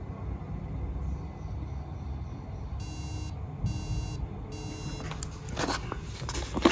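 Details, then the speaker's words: Old MacBook that froze with screen glitches and won't turn on: three evenly spaced high beeps over a faint hum while sleep light blinks fast three times; possibly a RAM issue, RAM to be replaced. "you can see this blinking sleep light which is blinking fast so you can see three blinks constantly we can hear a mild beep sound"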